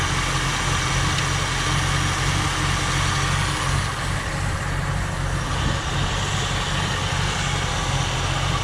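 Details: 1967 Ford Galaxie 500, 289 Ford V8, end of the 30-minute break-in: deep steady idle with a slightly uneven lope, about three pulses a second; runs fine, but owner thinks the carburetor and probably the timing need tuning.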